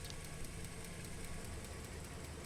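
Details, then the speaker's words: Modified used Jeep Liberty KJ with new suspension, tires and wheels, at idle: light fast even tick about five per second over soft idle rumble; owner suspects lifter tick. "sounds like a lifter tick"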